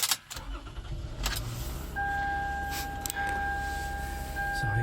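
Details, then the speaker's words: 2009 Toyota Sienna XLE, 166,000 miles, cold morning start after sitting overnight: steady, even idle held a little fast with a constant chime over it; normal cold high idle expected to drop. "it's cold morning my hands are frozen so she has still high idle but it will go down as everybody knows"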